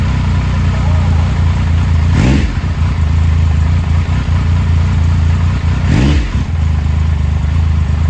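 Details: 2000 Triumph Sprint ST 955 triple, first start in 24 years after being wrecked new and stored in a barn, with a cleaned fuel pump and new fuel hoses: low, steady idle with two quick clean throttle blips, revs rising and falling smoothly; running fine.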